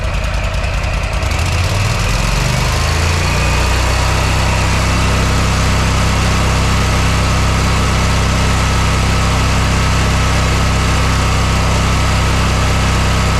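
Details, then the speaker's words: Repaired mower engine, tachometer on spark plug wire reads about 3,840 RPM at no load against a 3,750–3,800 target: climbs quickly, then holds a steady even drone with no hunting or knocks; normal no-load speed. "so it's around 3840 I'm not going to complain over that that'll be fine that won't do any damage to the engine but the the RPMs are right where they need to be so I'm happy"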